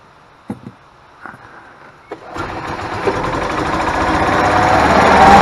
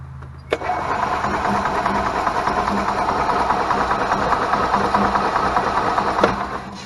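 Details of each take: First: Club Car golf cart single-cylinder engine that cranked without spark, after replacing RPM limiter box: a few clicks, then engine catches and settles into steady rising putter; starts and runs normally. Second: 2001 Club Car DS golf cart with Kawasaki engine: starter spins the engine with an uneven chug for several seconds but it never fires; spark tester shows no spark, traced to a failed RPM limiter rather than the coil.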